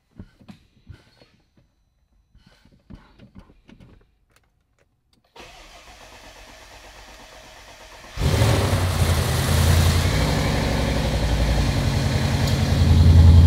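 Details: Audi RS6 C7 V8 started after rebuild, engine had seized from wrong-octane fuel holing a cylinder; smooth steady idle, no knocks, but afterwards still in limp mode with EPC light and the same fault codes as before.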